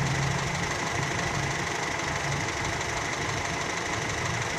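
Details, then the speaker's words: Older car engine during a 5–10 minute warm-up while the radiator is checked for leaks; steady, even idle with a smooth low hum and no knocks or misses; sounds healthy. "sambil kita periksa-periksa radiator kalau Go yang bocor suaranya masih oke ya oke jos"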